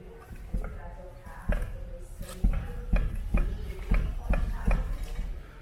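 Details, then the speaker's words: Ford Focus rear wheel loaded and rocked on a wooden block during a suspension check: dull, uneven clunks about once a second. Rear suspension problem suspected; shock absorbers and mounts to be removed and inspected. "tá vendo o barulho tá dando Então esse lado traseiro também tá com problema"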